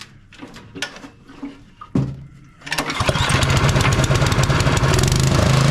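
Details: A Bolens (MTD) snowblower with a Powermore 179cc engine, on choke after repair of a stuck intake valve that caused popping and no-start, catches after a few pulls. It settles into a steady, even putt of about three per second with no popping or backfire.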